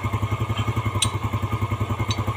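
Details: Yamaha Jupiter Z after engine rebuild with original piston and new valve shaft, idling before carburetor adjustment: even single-cylinder putter at about eight beats a second with a couple of light taps; healthy idle.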